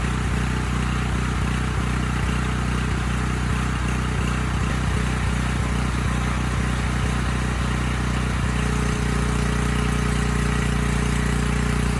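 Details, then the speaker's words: Briggs Vanguard on a Powermate 5000 W generator at no load: uneven pulsing, speed rising and dropping about every half second, steadying near the end. It clears under load or partial choke; owner suspects a clogged pilot jet starving it of fuel. "putting it under load it goes away choking it mostly gets it to go away so i'm leaning towards just um cleaning the pilot jet again i think it's just starving for gas under no load"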